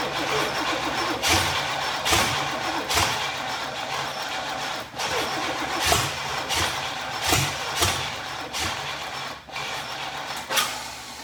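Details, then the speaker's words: 1990 Chevy 454 SS truck with 454 big-block during rebuild: starter cranks in uneven bursts about once a second, engine catching briefly but never running on its own; cranks, won't start, cause still being researched. "So as you can hear, she really wants to start."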